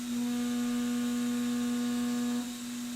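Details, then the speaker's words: Hurco CNC milling H13 with MSC Edge tooling on book data, spindle speed raised 10% to stop vibration: clean steady tone through the cut with no chatter or warble, dropping off at the end; smooth, stable cut. "And that looks quite sounds That sounds really nice. That's good."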